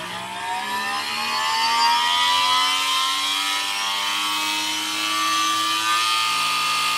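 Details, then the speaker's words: Electric bike's new brushless motor spinning up with no belts attached and the rear wheel disconnected: the rising whine carries harsh, violent buzzing vibration at certain rpm. The motor appears unbalanced, not a pulley design fault. "so it seems like the motor is unbalanced so as you can see here this is the motor output shaft and there's no belt connected to this step down and then the rear wheel is also disconnected from the belt for safety reasons and if I throttle up certain rpm you'll hear a really violent vibration"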